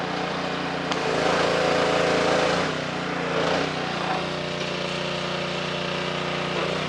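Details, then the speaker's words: Simpson 2.4 gallon petrol pressure washer after replacing the pump for lost pressure (unloader repair failed): engine runs steadily with spray hiss and brief surges, no grinding or knocking; working properly. "okay equit that is a success as you can see pressure washer right here um it's working now um I did have to change the pump"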